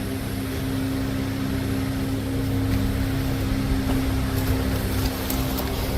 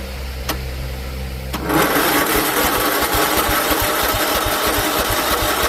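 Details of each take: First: John Deere L110 after a carburetor replacement, cranked with a jumper pack directly on the starter and the seat sensor not jumped properly: steady droning crank with no pitch change and no firing for ten seconds; cranks but won't start. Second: John Deere L110 automatic mower after carburetor swap, jumper pack on the starter and seat sensor jumped: short cranking whir, then catches into an even, quick single-cylinder thump; starts and runs normally.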